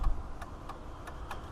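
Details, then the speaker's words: Chevy Silverado with full LED exterior bulbs after installing a Novita LM487 replacement flasher relay: soft even relay clicks around ninety a minute, no hyperflash; new flasher fixed the LED hyperflash for hazards and blinkers. "So that's definitely the required fix. The expensive little flasher. Apparently that one piece controls your hazards and your blinkers."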